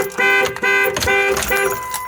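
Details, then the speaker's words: 2002 Ford Explorer Sport 4.0L V6, 250,000 miles, no-start after coil pack and plug replacement: repeating two-tone chirps about twice a second over a quiet car; anti-theft system active, blocking the start. "You turn that on. It won't work because the theft thing is on. Now, I have to do the alarm thing again."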